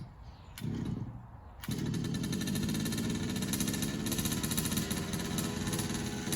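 Small two-stroke catches and settles into a fast, even buzzing rattle with steady firing and no stumbling; running normally.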